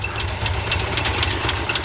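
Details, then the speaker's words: 1969 Ford F-250 with a believed 390, sitting 21 years, running on old oil at 40 psi with exhaust exiting straight out of the muffler, fuel supply faltering. Quick, light ticking about four times a second over a steady idle: judged not an exhaust leak, a noisy lifter. "Oh yeah, that is not an exhaust leak."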